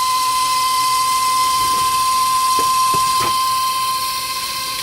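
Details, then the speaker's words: Emerson-branded Funai VCR from 2003 rewinding: a loud, piercing, steady high whine with faint ticking underneath. Owner calls the noisy rewind the unit's problem; cause unknown. "but we put it in rewind and here's the problem and that is very loud"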